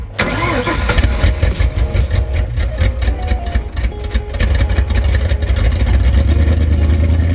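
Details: Mustang V8 whose long-tube headers were welded without flanges and had to be cut: the starter whirs, the engine catches and settles into a loud, raw, crackling idle with the exhaust open at the headers.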